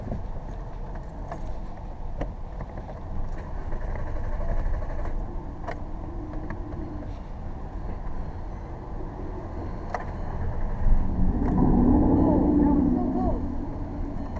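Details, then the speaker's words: 2007 VW Jetta on a jump box: uneven cranking churn that nearly catches around eleven seconds, then falls back; car thought flooded, with a vacuum hose off. It later started. Crank, no start. "A lot of times they they'll they'll start when I do the things I'm doing, which it's not doing."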